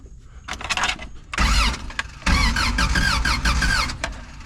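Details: Old Toyota truck sitting 26 years, spark plug wires off: two bursts of cranking, engine spinning freely with starter whir and no firing, as expected without spark; distributor previously swapped, timing may need adjusting.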